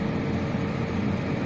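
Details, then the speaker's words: Lada Priora heater blower motor, which had rustled and rattled and blown fuses, after replacing the top bushing with a bearing, running on speed 4: steady even hum, no rustling or scraping; normal blower operation. "Так ну вот моторчик поставил еще не до конца все установил закрыл решил попробовать включил сейчас на 4 скорости работает Не шуршит ничего"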